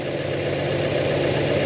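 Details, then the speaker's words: 2025 Toyota 4Runner TRD Pro four-cylinder with timing chain, heard at the engine bay after startup: a steady idle with fine, fast ticking and light rattle, normal injector and valvetrain noise. "Well, you can hear the the uh ticking and rattling of this motor."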